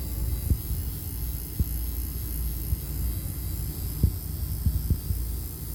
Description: Customer was asking why their breaker panel was making noise